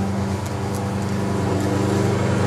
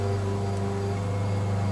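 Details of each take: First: Microwave transformer used as a HV step-up, just plugged in: steady mains drone with a strange buzz, plus a sharper intermittent buzz as needle-nose pliers are magnetized and chatter against the live iron core; working normally. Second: High-voltage step-up transformer rated about 2,000 V and 2 A, plugged in: steady low mains hum with a coarse strange buzz on top, unchanging, strong magnetic field around the iron core; loud transformer buzz.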